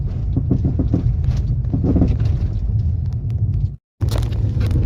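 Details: Hyundai Exter on road test, customer complaint of front suspension noise: quick dull knocks and rattles over heavy road rumble; caused by worn play in the left steering rack/tie rod end.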